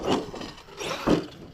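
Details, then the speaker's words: New 2023 Arrma Outcast 8S BLX EXP RC truck, old driveshaft still fitted, bashing jumps: two sharp hollow slaps as it lands; loose body shell banging on its mounts. "maybe you can hear the damn body slapping around round too it's a problem"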